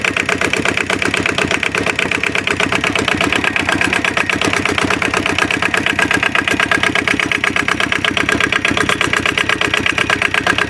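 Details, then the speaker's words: Aixam Crossover microcar diesel after replacing the variator with an aftermarket part and a new accelerator cable, which cured the noise: steady even diesel clatter, no loose rattling on top; drivetrain running normally. "donc on a changé du coup le variateur et le câble d'accélérateur et le bruit a disparu le bruit a disparu"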